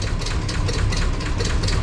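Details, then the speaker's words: 1994 Chevy Silverado 2500 7.4L V8 idling on a lift: a rough idle with a dull bottom-end rod knock, around cylinder 8 or 6, under ticking camshaft noise. Used engine had water in it; cause suspected, not confirmed. "So even though I think there's quite a bit of camshaft noise, down below you can hear some rod knocking noise as well."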